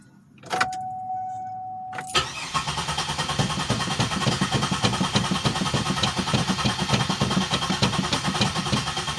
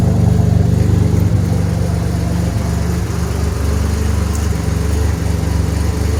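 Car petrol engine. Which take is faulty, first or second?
first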